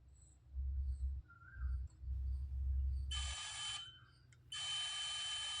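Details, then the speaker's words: Multimeter continuity test across both terminals of an inductor coil from a circuit kit: steady high-pitched beep heard with the leads applied each way, showing continuity, so the coil is good; no beep or reading would mean a faulty coil. "यदि coil में beep या कुछ मान दिखता है तो आपकी coil सही है।"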